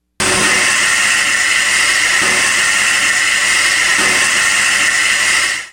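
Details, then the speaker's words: V8 engine on throttle: steady loud hollow air rush with sucking hiss through the intake manifold, no knock or tick; normal intake noise from the large volume of air drawn in. "what you're actually hearing is the air coming in through the intake manifold of a v8 inch and just really and it sounds like that big sucking noise because it phenomenal amount of air that's coming in"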